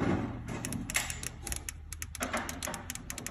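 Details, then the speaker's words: Fuel injector on an old bus that is being revived, fired with a DeWalt 18V battery through a test harness once freed up: crisp, separate snapping clicks, one each time power is applied. The injector is opening normally. "and we take it to a DeWalt 18. and we're going to just quick it until we hear that injector click"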